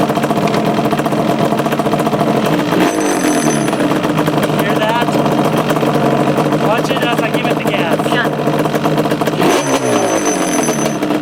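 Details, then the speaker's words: 2002 Yamaha Banshee two-stroke running before a kickstart rebuild: constant metallic chatter over the engine. The kickstart is rattling because its retaining screw is missing. "let me quick it up and let give you all an example of what it does when that needs to be replaced"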